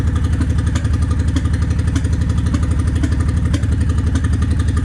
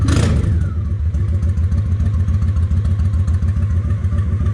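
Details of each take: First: Honda 750 ACE Deluxe V-twin started cold on choke, fresh fuel, tank on reserve; acts up worst once cooled: loping unevenly around four pulses a second with occasional stumbles; rough cold running, cause unknown. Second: Honda 750 ACE Deluxe twin after refitting the air filter, idle raised slightly: low, even thump about three and a half beats per second, steady without stumbling; idle close, not exact.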